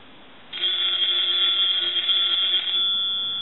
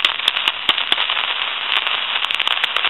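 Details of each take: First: Brass elephant telephone, final check after repair: bright, rapid ringing of twin bell gongs lasting about two seconds, even and clear; bell rings properly. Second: Elephant brass telephone with an old T1 carbon transmitter in the handset, line with dial tone: constant harsh crackling and frying with sharp pops; static from the aging carbon transmitter, to be replaced.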